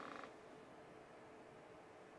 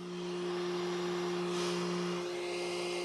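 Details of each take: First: Flashforge Adventurer 5M series 3D printer after switching to a quieter fan, measured about 42 dB at arm's length (was 47 before): soft, steady fan hiss with no rattle or whine; running quietly and normally. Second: Flashforge Adventurer 5M series 3D printer on first power-up. Steady airy whir with a constant low hum from the back of the machine, not the print head. The rear cooling fan is loud.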